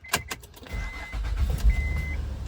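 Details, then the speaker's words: Honda Pilot petrol engine cold start at 58 degrees after replacing the weak timing belt tensioner: clicks, chime, then an even rumble with none of the earlier cold-start rattle. "I don't hear any rattle sound first thing in the [Music] morning yep that's the nice [Music] sound"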